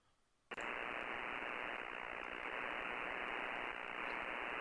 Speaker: so you can hear that buzzing sort of sound that's uh in with a band noise so that's exactly what I'm talking about